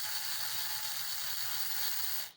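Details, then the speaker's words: HO Viper slot car giving a shrill, steady high whir with a gritty, chattery edge that cuts off when power drops; gears not broken in and too much play in the un-shimmed rear end. "See, these gears ain't broken in. That's what it is. You know? I got too much play in this rear end."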